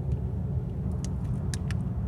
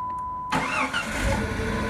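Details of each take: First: 1997 Jeep Grand Cherokee 4.0L with no-start, PCM and crank sensor already replaced and distributor apparently replaced not long ago: the starter churns the engine over in a low, steady rumble but it never fires. No camshaft position sensor signal on the Hall-effect cam sensor. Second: 1997 Jeep Grand Cherokee 4.0 L with no-start, new PCM and crank sensor, after cam sensor replacement: short crank, catches cleanly and settles into a steady even idle; starting normally.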